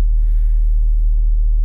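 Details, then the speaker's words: VW Golf 3 1.6 AEE petrol with LPG, fully cold start after replacing Valtek 3 Ohm gas injector rail (~70,000 km): steady low even idle hum, no stumbles or misses, waiting to switch to LPG automatically without jerking; normal cold idle. "Samochód jest całkowicie zimny. No to czekamy. Bez gazu, bez niczego, po prostu tak jak sobie chodzi, tak się przełączy automatycznie, bez żadnego szarpnięcia."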